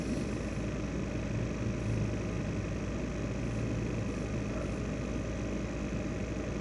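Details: ASUS X543UA laptop: constant droning whir with steady hum and rough grainy edge, CPU fan rattling—worn CPU fan bearing noise.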